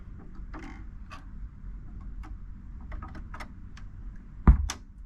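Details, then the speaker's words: Marantz 6100 turntable: light mechanical clicks over low hum, then a sharp loud speaker pop as the motor disengages; suspected cause is the 0.047 µF 125 VAC capacitor on the motor, as there is no muting circuit. "show you where the pop is it's when that motor engages and then when it disengages"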